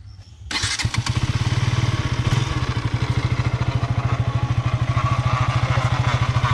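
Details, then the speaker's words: Brand-new KTM, about 25 days old, going to the service center: engine catches and settles into a fast, uneven low thump with a faint tapping on top coming from the engine. Abnormal engine noise, cause not clear. "है तो आप दाखवून सकते हो कि engine के साथ यहां से एक साउंड आ रहा है"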